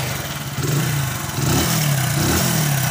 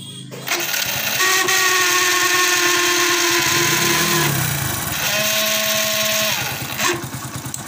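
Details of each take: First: Hero HF Deluxe motorcycle after the noisy self-starter motor was repaired: it starts cleanly on the electric starter with no grinding or clatter. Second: Hero HF Deluxe motorcycle self-starter cranking in two bursts with a harsh, rattling whine and grinding, from a dry, ungreased starter rotor.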